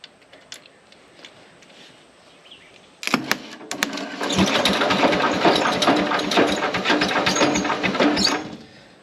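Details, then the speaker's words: 1970s Onan RV generator, long stored, first spin-over powered from a separate battery after rewiring: about five seconds of ragged, uneven, clattery cranking that never settles into a smooth starter whir. "okay it is spinning it don't sound the best try that again"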